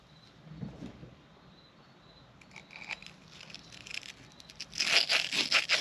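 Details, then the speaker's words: 1940 Harley-Davidson UL 74 flathead oil feed pump rebuild: sandy, crunchy scraping in short uneven strokes as a check ball is lapped into its seat with grinding compound under light pressure, until the sandy noise changes. "I'm not pressing down real hard just a little bit until the noise changes from Sandy"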